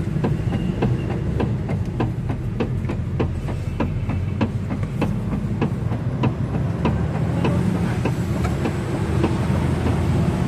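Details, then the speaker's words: Mitsubishi Xpander/Toyota Avanza, stabilizer links already replaced, wheel turned left and right: repeated sharp clunks one or two a second from the rack and pinion, not the steering shaft; worn, dry steering rack. "Narinig niyo mga boss yung lumalabas na ingay kapag pinipihit yung manibela."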